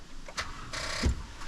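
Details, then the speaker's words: 2011 Toyota Tundra 4.6L V8 after a battery was installed backwards and the main fuse link replaced: a few dry clicks and one dull thump, starter never spins the engine; no crank; cause unconfirmed. "it's dead but it's gonna work okay hop out cool let's jump this sucker real quick"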